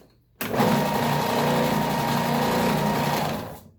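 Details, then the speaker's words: New Ridgid oscillating belt/spindle sander, first run out of the box: motor spins up to a steady, even hum with a light papery rub from the sanding belt, then coasts down smoothly; normal running. "No, maybe not. That's just the paper."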